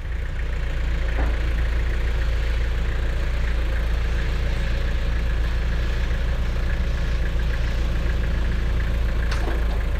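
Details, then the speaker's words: Tractor with eight-foot brush hog after tightening loose stump jumper: deep steady drone, cutter spinning smoothly with only slight remaining vibration that fades at higher RPM. "well it's still got a little a little vibration to it but not much at all and in fact the higher the RPMs the more the vibration goes away"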